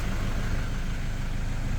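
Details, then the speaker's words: Toyota Vigo 3.0 diesel after replacing the rail pressure sensor and SCV: low, steady idle with even rumble and no knock or miss; injector corrections now normal, no fault codes, idle slightly high and settling down. "ตอนนี้ค่าก็กลับมาอยู่ในเกณฑ์ที่เรียกว่าปกติเลยส่วนสูงเนี่ยเดี๋ยวมันจะค่อยๆลงเครื่องจะค่อยๆปรับนะครับ"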